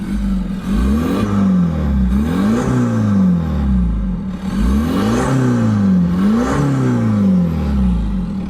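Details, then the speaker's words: Audi diesel on a test drive after a new flywheel, clutch kit and main seal: a deep, hollow drone that rises and falls with revs, rougher than normal. The owner first suspected a detached intake pipe; exhaust is blowing where a clamp came off. "I thought it was the I thought it was going to be one of the intake pipes had come off or something like that, because it just started making a really deep sound."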